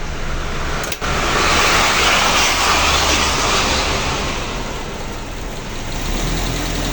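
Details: Suzuki Katana (Jimny) with an engine-driven radiator fan, idling stationary while warming from about 38 to 52°C, waiting for a thermo-switched extra AC fan set to cut in at 65°C: steady even idle, no misses or knocks, healthy.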